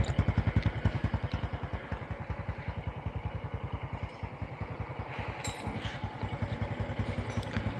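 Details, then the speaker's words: Honda Karisma motorcycle after rebuild with new standard-size piston/bore: even, steady exhaust beat at idle, light normal valve tick; cam chain, piston and valve sounds normal, very smooth. "oke ini suaranya teman-teman suara knalpot langsam stabil ya"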